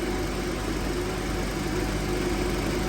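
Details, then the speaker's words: 2005 Honda Element at about 84°F outside, idling with AC compressor engaged and condenser fans running: a steady low hum under an even fan rush, running smoothly before the clutch cycles off; normal AC compressor operation. "you can see this starting to stay more solid while the fans are on and the compressor is [Music] on"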